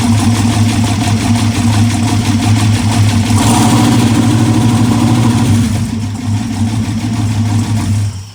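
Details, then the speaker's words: Aluminum 6.0 LS V8, first test fire on an MSD 6014 ignition box; rough, shaky idle with busy clattering ticks over the exhaust and a miss, suggesting top-end valvetrain tapping; cause unconfirmed. "All right, so the motor does in fact run. It's definitely making some clattery noises."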